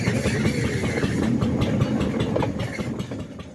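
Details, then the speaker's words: Homemade locomotive with Lister D diesel engine driving a homemade CVT: slow diesel chug with a thin, wavering squeal from the friction drive wheel, still bedding in and expected to diminish over time. "The friction wheel is still squealing as you can hear. But again, that's something that diminishes over time."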